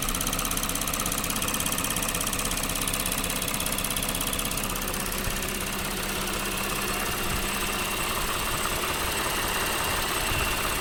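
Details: Lexus GS 300 3GR-FSE V6, 184,000 km, idling with quick clicking from the engine's left side and whirring from the right; persists when warm, appeared after heavy water washing near the engine rear; cause unclear.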